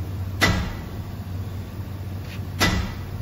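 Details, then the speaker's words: 2010 Chevrolet Silverado 2500 6.0L: two heavy metallic clunks over low idle hum while pushed backwards; transfer case failing, probably run dry from a leak about 9,000–10,000 miles after fluid service. "bad transfer case probably run dry from the leak"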